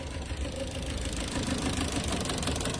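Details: Idle misfire: engine stumbles and lopes with uneven beat and irregular chuffs; persists on one cylinder during coil/plug swap tests, traced to a burnt valve rather than coil or injector.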